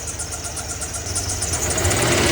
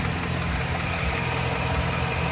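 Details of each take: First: 2007 Chevy Silverado V8 at idle: quick steady tapping from the top end, a lifter tick suspected at cylinder six and maybe eight, plus some belt noise from the tensioner; lifters to be replaced. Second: 2007–2008 Chevy Silverado V8 after lifter replacement: steady, even idle with smooth low rumble, the previous lifter tick (suspected cylinders six and eight) gone.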